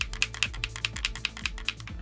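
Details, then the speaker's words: Saab 9-3 CIM steering column stalk module, removed and shaken by hand: quick, light clicking about five times a second; internal rattle of unknown cause, possibly from earlier tampering. "one rattles i don't know why i don't know if someone's been at these before me or anything"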